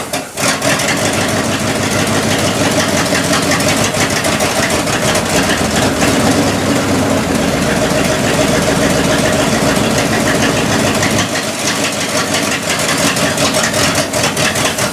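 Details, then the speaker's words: 1972 Cadillac hearse V8, first start since 1995, timing adjusted, run on 91 octane poured into the carburetor bowl: settles into a steady, even idle with a firm beat for about 15–20 seconds, then shuts off. Oil pressure seemed encouraging. "oil pressure didn't sound that bad even though it was just I don't know 15 second 20 second run whatever it's encouraging"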